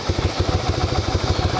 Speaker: there's the throttle the ignition we're going to start it up typical Yamaha Vago starter